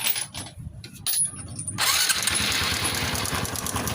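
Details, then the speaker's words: Honda RS125 FI after an oil change where the cam chain tensioner bolt was removed instead of the drain plug, losing its spring: brief crank then fast, loose ticking rattle over idle from slack cam chain; before repair. "Ayun o. Lumagpitik na. Ang kwento nito is nagkamali ng bukas sa drain plug ito."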